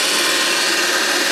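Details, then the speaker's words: 24 V DC motor after service (bearings freed and oiled, armature cleaned of carbon, brush tension eased, timing adjusted): even, steady brush hiss, no knocks or rubbing; runs freely and quietly. "we'll put your motor back together after a little tune-up and service and running away quite nice with it fairly quiet"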